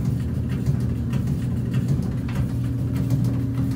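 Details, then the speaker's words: Maytag dryer bought from Lowe's: steady low drum hum with light irregular knocks as the drum turns; drum clunking whose cause was never found even after disassembly. "i'm going to do a video about this dryer because this dryer clunks"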